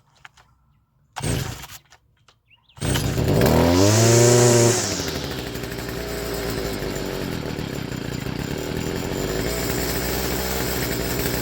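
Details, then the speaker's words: Stihl FS55R two-stroke trimmer after carburetor swap, first start before tuning: fires, flares high, then falls to thin, wavering idle ready to stall; improved by opening low-speed screw about half a turn. "So, we started this up. It sounded like it was about to die."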